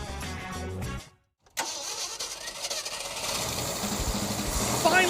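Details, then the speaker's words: 1967 Ford F-250 4x4 cranks, catches after a short pause and settles into a steady, even run with no misfire. Distributor was reinstalled and timed to 12° initial, 30° total; it finally runs smooth. "we stabbed that distributor in there I timed it to 12° initial 30° total pretty conservative it finally runs smooth"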